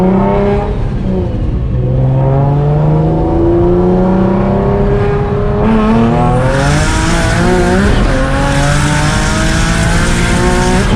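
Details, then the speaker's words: Nissan 350Z, stock HR block, single turbo, freshly street tuned at about 14 psi, fuel no longer lean: strong note climbing steadily through each pull, clean gear changes, no stumble or misfire; normal turbo acceleration. "It sounds really good though. Like the motor, it just sounds way more healthier, and you don't hear the wastegates as much. It like doesn't sound like it's starving."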